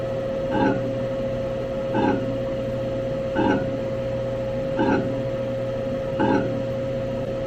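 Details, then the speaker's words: Motor of a neglected saw being restored, run at low speed after rewiring: steady hum with a scraping rub repeating about every second and a half; suspected to be hitting the casting at the back, not confirmed. "let's see if we can straighten it up I got a feeling it's hitting the casting back there in the back"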